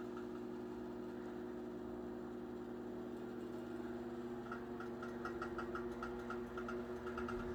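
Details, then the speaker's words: Chicago Electric Handybreeze 12" table fan, model 314, late 1930s–1940, two-speed with oscillation, on low speed drawing 0.4 amps; steady motor hum with light uneven knocks from worn bearings, labors slightly. "We'll start it up on low. The bearings also show some wear. That's what that knocking sound is."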